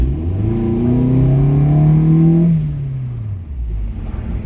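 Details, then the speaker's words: 1996 Nissan 240SX S14, KA24DE automatic, 200,000 miles, with an aftermarket bolt-on exhaust, accelerating on the road: a clean rising drone, then a quieter cruise, with no knocks or rattles. The engine sounds healthy. "good sounding engine. Not the most lively and snappy thing on the planet, but it does its job of moving the vehicle."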